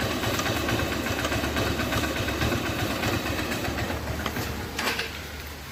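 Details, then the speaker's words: 2008 Hero Honda Hunk, about 16 years old, single-cylinder at idle after start: faint quick tick-tick over the exhaust beat; owner suspects piston or timing chain, unconfirmed. "Friends यह जो टक टक टक sound आ रहा था यह वो साउंड है मुझे यह साउंड पिस्टन का लग रहा है या फिर टाइमिंग चेन का भी हो सकता है"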